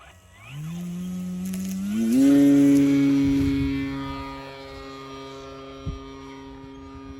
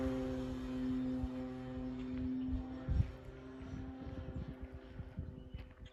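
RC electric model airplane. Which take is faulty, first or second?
first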